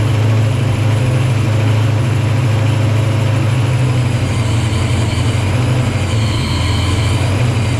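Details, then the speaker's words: Supercharged 306 Fox-body Mustang just fitted with an Anderson N51HR cam, first start: deep, lumpy idle with no steady rhythm; timing is off, possibly a tooth off, not yet confirmed. "sounds like it's going to hit pretty good but we're not there yet obviously the timing's off on it"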